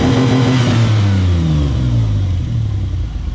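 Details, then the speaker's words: 1995 Explorer two-door after washing the mass airflow sensor with brake clean: engine revs up with a stumbling, uneven pulse and pretty bad hesitation; still a miss, suspected on one or two cylinders, cause not found. "pretty bad hesitation there. Still seems like we have somewhat of a miss, but"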